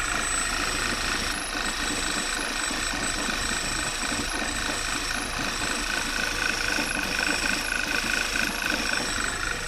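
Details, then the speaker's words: Failed PCV valve, part 06H 103 495 E, at idle: thin, steady high whistle from the valve's nozzle over a rough, uneven idle; covering it makes the engine nearly die. Vacuum leak through failed diaphragm. "here is the nozzle that i've mentioned and actually has a whistle"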